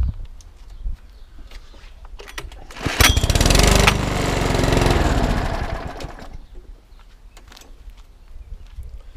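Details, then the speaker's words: Cheap UK-store 2012 mower with small Chinese OHV engine, fuel cap stuck: primed two or three times it fires, revs about three seconds, then cuts out; fuel starvation, tank flush and carb clean needed. "the problem we've got is is that you prime it two or three times start for venator just cut out"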